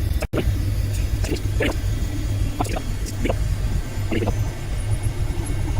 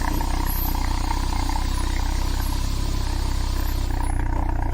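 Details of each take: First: Citroen BX petrol engine on the ramp after subframe and arm refit, breather system off, exhaust smoky, possibly from old diesel soot: steady low idle with faint regular ticking from the running hydraulic pump, slight tinkle in the resonator; normal idle. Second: Citroen BX during revival, engine running with the car in the air, exhaust sooty from diesel, breather system off: deep, heavy, throbbing tractor-like exhaust note at steady idle, louder than before; loud exhaust drone, source not yet traced.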